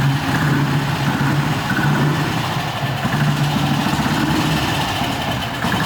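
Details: Restored BSA 250 single-cylinder motorcycle, first startup in a parking garage after restoration: single cylinder thumps steadily and evenly at low idle with no stumbles, running healthy.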